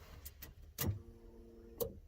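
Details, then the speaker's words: Alfa Romeo GTV V6 abandoned for years, used fuel pump from a donor car fitted with new seal, fresh fuel added, key on, microphone in the back: click then faint steady hum under a second; normal fuel pump prime. "I've put about 20 quid in so that should be enough to get us started let me just put the camera in the back so you can hear the fuel pump"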